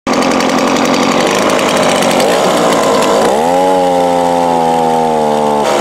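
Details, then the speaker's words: Two-stroke small engine with Walbro/Zama-type carb, out of tune: idles and runs fine but at full throttle the high buzzy pitch sags and bogs right down, as the customer reported; lean carb. "well that's the symptoms it's bogging down trying to trying to go full pull squeeze there just bogs right down it idles runs good until you go to blow full blast"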